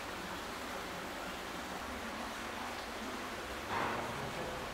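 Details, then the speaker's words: Sewer lift station discharge piping: steady, high-pitched hiss traced to the failed check valve as water leaks back through it. "but you can very clearly hear a high-pitched hissing in this area"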